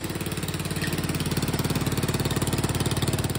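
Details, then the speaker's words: 150cc GY6 Chinese scooter idling with sharp, loud puffing at every firing pulse: an exhaust leak at the cylinder head, where the pipe is held by a single cross-threaded wrong-pitch bolt; something also rattles in the transmission. "that's very bad news as you can hear I have a very bad exhaust leak and something is rattling in the transmission"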